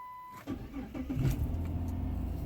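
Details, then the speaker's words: Chrysler 300, possibly 2006, with intermittent delay start up to 5 seconds and random stalling, codes P0605 U0101 P0601 TCM: two-tone chime, pause, then starter churns a few beats before catching and settling. Delayed crank on start. "ladies and gentlemen that is the ladies start and uh some cases you can shut you down and customers say the car was shutting down"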